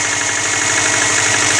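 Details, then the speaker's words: Early-2000s Subaru Forester, 250k km, recently redone head gaskets, cold start on Rotella T6 0w-40 synthetic (previously Mobil 1 5w-30); light quick tapping at cold idle, piston slap said to fade when warm, with no difference from the oil change. "this is a piston flat tap it goes away when the engines warm right now it's cool"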